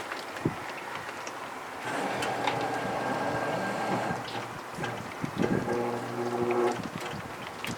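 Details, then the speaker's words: 1966 Ford Thunderbird power window motor tested: labouring motor drone with wavering, dragging tone and scraping in the glass channel as the window forces and sticks; window binding in its track, motor straining. "Let's see, it's sort of forcing a little bit. A little bit stuck. Just needing some help."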